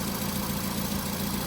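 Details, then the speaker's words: 2004–2008 VW Golf 1.6 FSI, over 100,000 miles, chain-driven, cold start in the morning after a service with new oil, filters and spark plugs. Brief chain rattle at start, then it settles at once into a steady, smooth idle with no knocks. Normal cold idle. "But as you can see, as you can hear, it has almost settled immediately and the engine sounds good to me. This is a cold start."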